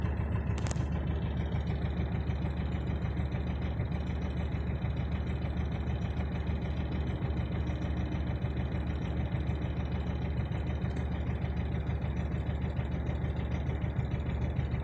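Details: Knocking at about 200 per minute over a rough cold idle on a 2004 Mercedes Viano OM646 diesel, appearing only when cold and vanishing as revs rise; idle shakes slightly more than before, glow plugs recently replaced; cause unknown.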